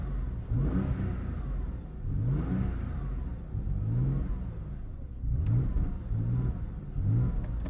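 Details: 1999 Porsche 911 Carrera 4 (996) after a hard start: engine blipped repeatedly, revs climbing unevenly, with a few sharp pops between pulls; rough running with backfires before stalling, cause not known.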